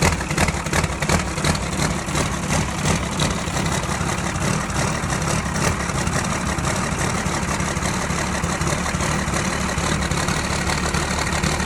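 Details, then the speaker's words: Tucker Sno-Cat 5.9 Cummins 12-valve diesel, previously a crank no-start, after fuel-system checks: it begins firing, then settles into a steady, even low diesel clatter over twelve seconds with no stumbling or misses. Normal idle. "as you can hear it's starting to fire so we might have fixed it"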